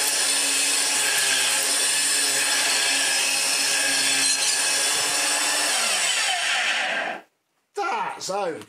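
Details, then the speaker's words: Dirt Devil upright vacuum (UK variant) after refitting the drive belt and brush roll: harsh, rough hiss and whir over the motor until it shuts off. It sounded better without the brush, so the brush roll is the noisy part. "it sounds terrible but a lot of that's in the brush though it sounded better without it"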